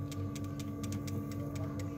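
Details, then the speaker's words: Sharp two-door refrigerator defrost timer type 1-4, running once bimetal reads evaporator frozen: steady low hum with light uneven gear ticking as gear turns; normal operation. "suaranya ya dan ada putarannya tuh ya gearnya berputar ya dekatin lagi nah itu gearnya berputar nah inilah ciri khas timer 14 tipe 14"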